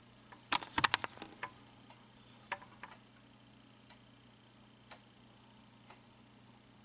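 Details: Early-2000s Quazar wall clock with quartz movement, rehung on the wall: faint sharp single clicks once a second, steady and even in a quiet room; movement running normally.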